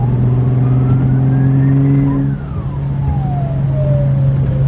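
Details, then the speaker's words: Audi B5 S4 twin-turbo after boost leak fixes: thin siren-like whistle climbs then falls after throttle lift over engine drone. Owner plans to check inlet and charge pipe clamps for leaks; source not pinned down. "it's kind of funny it almost sounds like a oh yeah it definitely sounds different like after I do a whoa it almost sounds like a almost sounds like a siren going off"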